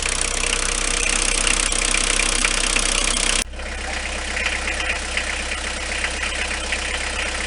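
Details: Renault 21 turbo diesel at 180,457 km: steady metallic clatter of about four knocks a second, present on acceleration for 2 years, audible in the cabin; rocker adjustment done, said not a conrod or bearing; cause not found.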